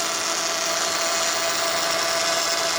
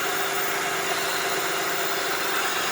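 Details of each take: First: 2004 Honda Odyssey EX power steering pump: steady high droning whine with vibration felt at the pump, bubbles swirling in the reservoir; aerated fluid from an inlet air leak, fixed by replacing the inlet O-ring. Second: 2004 Honda Odyssey EX at idle after replacing the O-ring on the power steering pump inlet port to cure a loud pump noise: an even, steady hiss and whir with no whine or groan. The pump now sounds normal.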